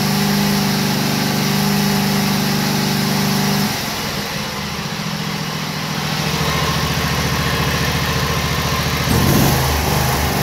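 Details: Briggs & Stratton Vanguard 16hp: engine holds high revs then drops and wavers, rising and falling unevenly instead of staying steady; surging, governed speed hunting at high RPM.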